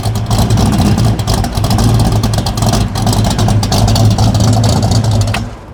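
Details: Idle of apparently a '78 Pontiac Trans Am Bandit tribute (Hurst-equipped, T-tops), just started: a deep, even V8 burble that swells briefly with throttle and settles back, no misses or knocks. Engine running clean and healthy.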